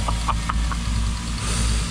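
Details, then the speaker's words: Toyota Supra warming up at idle after about six months unused: steady idle with light sharp clicks about four a second; ticking top end, owner told a bearing may be the cause. "so when it was running yesterday I know it's a clicking ticking noise like tick tick and I've been told that it could be that bear in there"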